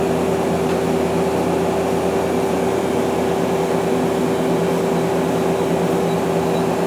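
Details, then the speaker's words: 2001 Okuma LB200MW turning and milling center, sub-spindle at 2,000 rpm: smooth, even hum with no rumble, grind or ticking; bearings sound good. "that's 2,000 RPM and the bearings are all good you can hear them"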